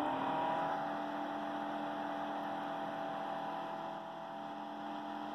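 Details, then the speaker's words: FutureBit Apollo ASIC miner mining in Eco mode at about 100-105 MH/s: absurdly quiet, then the fan occasionally spins up to a steady high, smooth whir with no rattle or grinding; normal cooling fan noise. "this thing is absurdly quiet and then when it does get excited there you go so that's it spinning up"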